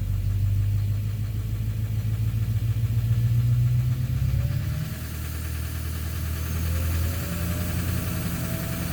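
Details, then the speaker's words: 2009 Silverado 3500 Duramax LMM diesel, 59,900 miles, cold-start morning, held in gear against brakes: steady low knock grows much heavier in drive/reverse than in neutral; suspected engine/bottom end, injector or cracked flexplate considered, oil analysis clean; cause unconfirmed. "It's still there in neutral when I first started this morning, yeah. But obviously once you put it in drive or reverse, it's very loud."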